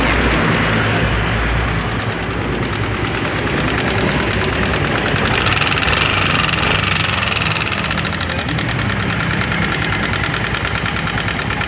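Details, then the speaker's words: Yamaha Mio M3 scooter at idle, rough and lacking power: fast light ticking at about three per second over the engine; excessive valve clearance tapping, cam chain also suspected. "nya suaranya kasar dan enggak bertenaga"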